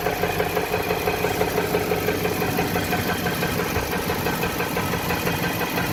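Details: 2018 Nissan petrol engine, 30k miles, idling in drive with the handbrake holding it: a steady knock slightly faster than once per second rides over the idle; cause unknown.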